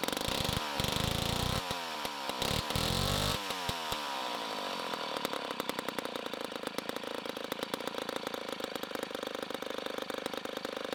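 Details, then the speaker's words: 1960s Homelite C-51/XL-12 vintage two-stroke chainsaw, revived, started with choke: a very loud scream at high revs, then a rough, burbling idle with uneven firing. It is running a little rich and may be low on fuel. "it is a very loud saw for now it is running a little rich"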